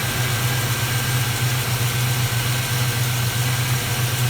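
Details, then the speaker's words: Plymouth Duster carbureted V8 (Holley) idling after carburetor fix for rich running and stalling in gear, not yet at operating temperature before final mixture adjustment, plugs still somewhat fouled; even, steady idle, no stumbling, surging or misfires. "it seems to be doing just fine now we need to get it up to temperature before i can make the final adjustment from the carburetor but it's running good"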